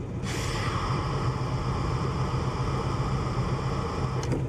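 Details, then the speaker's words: 1974 Chevy Nova at idle, brake pedal pressed: a steady airy hiss over the low idle rumble, held for several seconds. Air/fuel readings go very lean, mostly on the passenger bank, indicating a brake booster vacuum leak. "call the breaks so it's a constant hissing noise so that leads me to believe that that's the brake booster"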